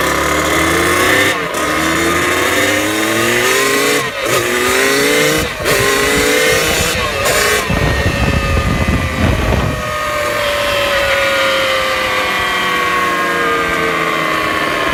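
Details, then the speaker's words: Dirt bike after new clutch basket, steels and friction plates and new sprockets: revved engine leaves a whine sliding down in pitch as revs fall; cause unknown, owner also notes shifter vibration with clutch pulled while rolling. "the bike's been making this weird noise and it's like I rev it and it'll like make a whining noise after word"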